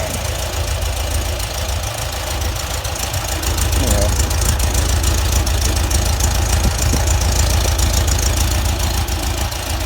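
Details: VW Type 4 air-cooled flat-four after ignition swap to original Bosch 009 distributor and Bosch parts, idle jets 55 to 50, after heat cycles with smoke cleared; steady regular beat rising cleanly with throttle, no misfire or stumble; normal running.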